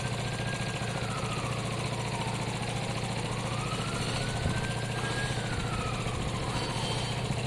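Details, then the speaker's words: Piaggio Fly scooter after an engine swap, first start with oil only half full: even single-cylinder putter at a smooth idle with a faint wavering whine, a little smoke from sprayed WD-40; sounds great. "it sounds great um a bit of smoke coming off the exhaust from where i've been spraying wd don't need to worry about that um it sounds great"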